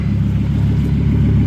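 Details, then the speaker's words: 1998 Volvo C70 engine, partly warmed up (not a cold start), before catalytic converter removal: uneven, lumpy low rumble that doesn't settle cleanly; running rough, cause not yet pinned down. "kind of warmed it up a little bit already didn't want to do this on a cold start but that's not running quite right"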